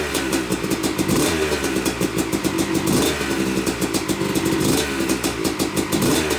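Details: Yamaha YZ250 two-stroke (270cc/250cc) motocross bike, first start after a full engine rebuild (bottom end, transmission, bearings, clutch, power valve), took a few kicks: crisp crackle rising and falling with throttle, firing cleanly; smoke from assembly oils is normal; runs normally.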